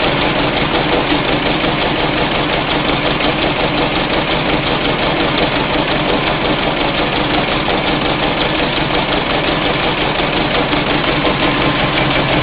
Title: Generator running slow and making a weird noise